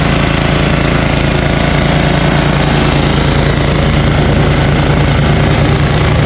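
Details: Ariens ST1128 snowblower, 11HP Tecumseh Snow King single-cylinder engine, after carburetor cleaning and pilot jet fix cured surging, cold day. Despite an apparently ~5HP carburetor, a steady, even thump at about three firings a second with no hunting: normal running.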